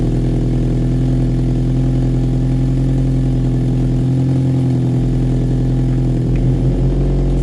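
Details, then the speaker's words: Toyota MR2 SW20 idling after fitting a new mild-steel Mongoose exhaust. A raw, puffing chuff as exhaust blows at two joints, either the welded Y-piece or the joint itself. The back box no longer blows; overall it sounds better than before. "Blowing on them two joints. That was not good."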